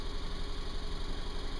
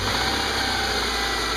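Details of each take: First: Subaru running rough at idle, cold in open loop, check engine light flashing with P0302: low, uneven, lumpy stumbling idle and constant snapping near coil pack from spark arcing; cylinder 2 misfire from burnt factory spark plug wire. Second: Subaru with a P0302 cylinder 2 misfire code, earlier rough-running with spark arcing audible at the coil pack, first start after a crimped replacement ignition cable: steady even idle, no stumble; the engine runs healthy on all cylinders.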